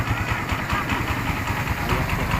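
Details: Kawasaki Barako single-cylinder motorcycle after swapping the stock cam chain tensioner for a Bajaj tensioner: an even, steady idle with a soft regular pulse. The earlier hammering from inside the engine is gone and it now sounds quiet and healthy.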